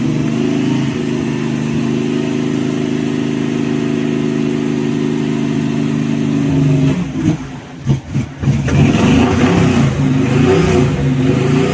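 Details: 1971 Chevy Cheyenne C10 with cammed 305 V8, hard cold start in spring: lumpy, uneven loping idle, stumbling and surging near seven seconds before catching again; rough cold running, cause unclear.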